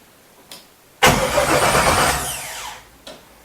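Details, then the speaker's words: 1967 Chevelle LS-swap project, first start attempt, battery possibly weak: starter spins engine briskly under two seconds, no firing; cranks but won't start, no fuel system rigged yet. "she wants to go man let's get some fuel in all right we got to rig up a fuel system because uh we have no fuel"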